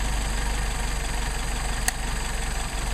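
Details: Mercedes 190SL with rebuilt Solex 44PHH carburettors on test: even, steady idle with a regular low pulse, no misfires, surging or knocking; carbs run well.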